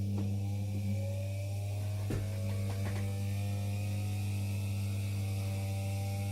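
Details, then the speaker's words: Old Philips hand mixer after relubricating with Vaseline to cure lack of lubrication, running at lowest speed: steady low electric hum with faint whine climbing as the grease finds its place and it speeds up; smooth normal running. "you hear it starts running faster faster so the grease is finding its place and this is as beautiful as sound as you can ever get out of these things"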